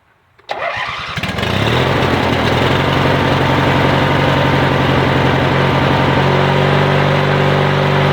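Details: Yard Machines/MTD lawn tractor, 20.5HP Briggs & Stratton twin, after new starter, solenoid and battery: cranks briefly, catches at once and settles to a steady, even idle with no knocks or stumbles; no-start fixed.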